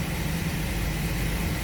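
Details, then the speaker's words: 2005 Chevrolet Express 4.3 V6 shaking badly at idle with A/C on for load; deep, lumpy, unsteady idle rumble. Scanner shows misfire counts on cylinders 1, 3 and 5 (one bank, P0300), other bank at zero. "el cliente se queja de que el vehículo está muy tembloroso entonces chequen estos señores chequen esto así es y a simple vista me está marcando que tiene mis fallos en el 1"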